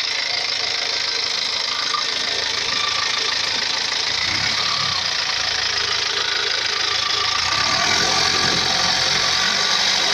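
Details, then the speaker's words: Four-cylinder Perkins diesel idling: loud airy hiss with rough puffing about four times a second, with oil and smoke blowing out; crankcase blow-by from worn piston rings. "viewers as you heard this engine is Blow by this one four cylinder peren engines"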